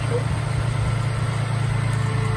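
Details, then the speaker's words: Vehicle idling normally after a 6000A 12V AUXITO jump starter started it from a completely dead battery using its dead-battery mode; the unit used 1% charge. Even, regular idle pulse, steady low rumble, no stumbling or knocking. "that was pretty impressive it started a completely dead battery"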